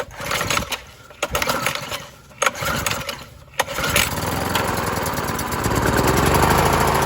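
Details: Briggs 3.5 HP L-head engine off a Scag edger, just after replacing the dried carburetor diaphragm, cold at about 40 degrees, no air filter fitted: a few choppy pulls, catches, then runs on choke with a steady, even beat and no surging.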